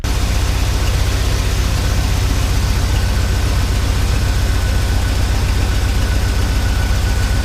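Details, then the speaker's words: Jeep Wrangler 4.0 engine idling with a dead miss, injectors unplugged one at a time: lumpy idle with an uneven chuff about three a second; unplugging number 4 changes nothing, so it is dead, while number 5 makes a difference. "So it seems like we got a dead miss on number 4. It ain't doing nothing."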